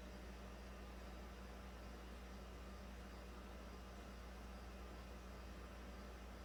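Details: 2009 Toyota Corolla 1.8, after charcoal canister assembly replaced because the failed leak detection pump would not run: faint, steady low hum with no pitch change as the pump pulls vacuum toward a target, possibly about negative 39, in the EVAP leak test.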